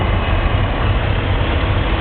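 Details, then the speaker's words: BMW M54 inline-six idling after engine bay degreasing and wash, heard at the belt-driven AC compressor, power steering pump and alternator: steady, even rumble with smooth accessory hum, no squeal or chirp; healthy. "Power steering pump. Everything's working. Alternator. And it sounds good."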